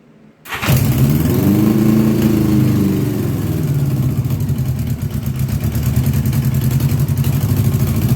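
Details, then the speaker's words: 1982 Honda GL1100 Goldwing Aspencade, sat 3 years, reportedly rebuilt engine, new plugs, fresh fuel with Marvel Mystery Oil: catches quickly then lumpy, uneven running with stumbles. "This is the part I always talk about when I say, "Oh, yeah, it will start and run, but it ain't going to run right.""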